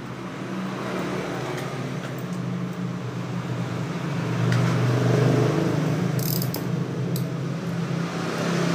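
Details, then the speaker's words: Yamaha Mio J won't start even after a new spark plug: starter spins the engine at an even three or four beats a second but it never catches; no fuel pump sound, pump suspected faulty. "Ayo kita coba indukan masih juga tidak hidup"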